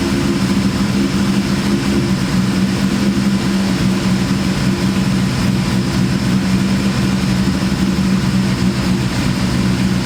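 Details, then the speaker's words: Terminator Cobra with big cams and ported Eaton blower, freshly tuned, at idle: lumpy idle with strong constant low drone; owner guesses supercharger is the source, unconfirmed. "guys I'm guessing that humming noises stir up inning against I can hear it pretty loud"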